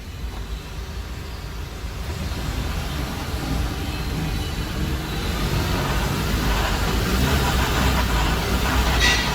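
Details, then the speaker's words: 2009 Jeep Compass CVT, in gear with wheels off the ground and traction control light on: deep roar swelling as wheel speed rises, the same noise heard on the test drive; suspected transaxle/CVT versus hub bearings; drivetrain roar under load. "wow, guys, that is the noise I heard on the test drive."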